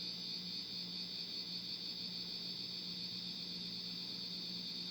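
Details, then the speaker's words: 1989 52-inch Casablanca Venus ceiling fan on high speed, control board suspected dead and only speed 3 worked: a thin, steady high-pitched buzz over a faint low hum, cause unknown. "i don't know what's going on with that noise it's really annoying though"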